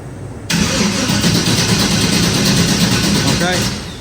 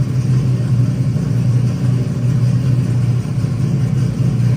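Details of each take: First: Vehicle cranking on a weak battery with charger connected, voltage dipping to about 8–9 V: starter churns steadily about three beats a second but engine never catches; crank no start, no spark from weak coil voltage. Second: Truck converted to 16-volt, started after a loose connector end with slipped detents was fixed: steady, even low rumble with no misses or knocks as it fires up and runs smoothly; normal running.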